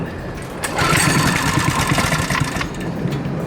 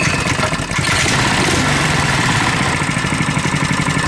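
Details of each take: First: Coleman KT196 go-kart small single-cylinder engine, neglected for years, first start with idle raised and no governor: catches and runs unevenly with an irregular stumbling beat; choke found still half on. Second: Coleman KT196 go-kart single-cylinder engine, no governor: putters along at a fast, fairly steady idle around four beats a second; runs clean with no misses.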